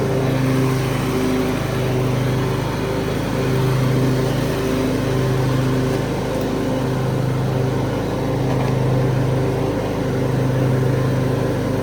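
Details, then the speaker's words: 2003 Craftsman (AYP) DYT4000 hydro riding tractor with electric PTO and 48-inch deck, picked up free: steady low drone with an even, unhurried pulse and no knocks or rattles; runs healthy. "So other than that, it's good. It's a good tractor. It's a good machine overall."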